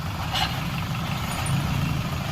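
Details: Hyundai i20 gearbox gives a steady low rumble with a rough, gravelly undertone at idle, noisy when the clutch is pressed; the gearbox oil had completely dried up from a leak, and the gearbox was opened and serviced.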